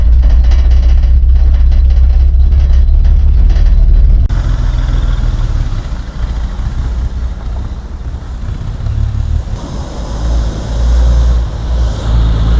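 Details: 1955 Plymouth Plaza wagon, formerly locked-up engine, first drive after 42 years, trying reverse: old engine lumps along unevenly with a loose pulsing beat and hunting; a little sticky but loosening up. Rough running; cause not pinned down.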